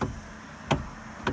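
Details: Kia/Hyundai with electric power steering, error codes C1260/C1259, EPS light on: two sharp hollow knocks from the steering column as the wheel turns. Caused by a destroyed rubber damper bushing inside the EPS unit, which upsets the steering-angle sensor.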